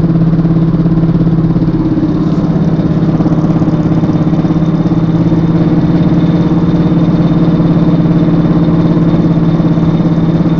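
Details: Volvo S60 R: loud, steady low drone with a fast pulsing beat from the rear end; loud rear-end noise, cause unknown.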